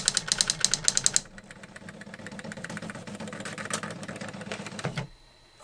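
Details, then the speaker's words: New-in-box circa-1985 Epson DX-10 printer printing a Windows 2000 generic text-only test page via printer port: quick run of sharp even striking ticks, then softer whirring carriage move before stopping; worked perfectly, normal printing. "is actually pretty cool that worked perfectly"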